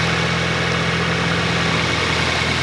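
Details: Nissan 240SX first start of the season after sitting and failing to start; fires and settles into a steady, even idle with no misses or knocks; normal idle.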